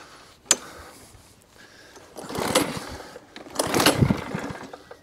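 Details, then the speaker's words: Tip-salvaged lawn mower given two recoil pulls after carb spray; rough chuffing but never catches; cranks but won't start, owner suspects timing issue, deck has a dink so may have hit something; dead man's switch also faulty. "timing i think that's timing issue it's not even far on carb spray that's unusual for these"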